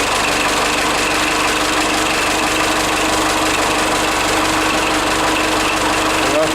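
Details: Forklift engine, just after an alternator repair (now charging 14 volts), oil and filters not yet changed: steady, even idle with a faint constant hum and no knocks, misses or surging; running normally.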